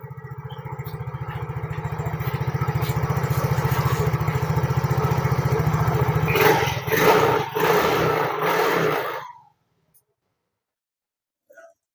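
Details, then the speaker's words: Yamaha fuel-injected motorcycle, single cylinder, after cleaning a clogged injector (it had been sputtering): engine catches and runs with an even, regular beat, picks up cleanly when revved, then shuts off; runs well now. "Ini sudah posisi dibersihkan ya. Posisi sudah dibersihkan, kita nyalakan, sudah enak ini."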